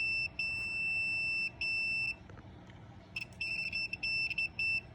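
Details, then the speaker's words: Trolling motor that isn't working, tested with a multimeter on continuity: a steady high beep, repeated in short bursts, confirms continuity through the motor wire, while the switch shows none. The switch is broken. "you have continuity from the motor, but not on the switch."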